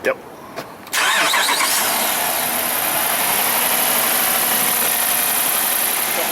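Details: 2012 Jeep Grand Cherokee Overland, Hemi V8, intermittent crank-no-start with no fuel pump feed; fuel pump jumpered directly from battery positive, bypassing the TIPM: brief crank, catches at once, settles to a steady even idle; normal start and idle.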